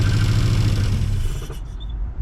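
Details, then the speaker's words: Mazda B2200 truck, first start in 20 years after fitting a new Weber 38/38 carburetor, throttle cable not hooked up: engine catches and runs with a deep, steady low rumble that quickly settles, no misses or knocks; normal running. "and there she is. She runs. Woo! She runs, guys. She runs."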